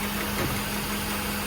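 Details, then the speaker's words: 1989 Mercedes-Benz 560SL that idles rough, stumbles in gear under load and smells of fuel: uneven, lumpy idle with a visible stumble in the firing, running rich from a leaking cold start injector. "And you can see that stumble. Oh yeah, you can watch the engine moving."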